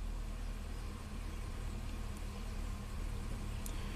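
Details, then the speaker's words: Reman engine in a 2005 Chevy Silverado 2500HD (20,000 miles, sat five years) at idle: uneven stumbling V8 beat, shaking, misfires on cylinders two and six, mostly bank one, smoothing at higher rpm; no check engine light. "so no dead cylinders i can tell you that right now and it's starting to shake misfire cylinder two cylinder six"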